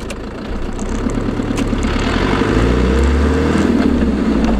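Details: LT230 transfer case heard with sound proofing fitted: thin whine under road rumble, climbing in pitch as road speed rises, typical of a worn transfer box.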